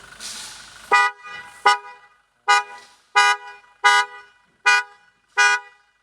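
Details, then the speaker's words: Toyota Innova Reborn horn, previously bleating like a goat, now sounds normal after a loose horn connector was reattached: seven short, clean, steady two-tone toots. "masakson sudah tidak seperti anak kambing lagi"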